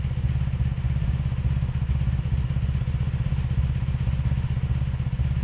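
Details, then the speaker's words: 2002 Honda Magna VF750C V4: lumpy idle at about four beats a second with uneven, skipped pulses, misfiring and backfiring on all four cylinders. Ignition coils were checked, and the CDI box is now suspected but not confirmed. "okay yeah I can hear the misfire [Applause] I got a misfire here damn I got a misfire here so both of this I'm getting misfires"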